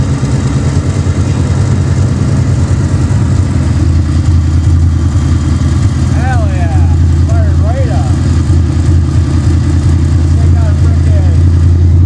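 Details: Ford Fox body Mustang project car, in neutral, starting after fitting a new Motorcraft starter solenoid: steady, even low idle rumble with no misses, knocks or stumbles; engine running well.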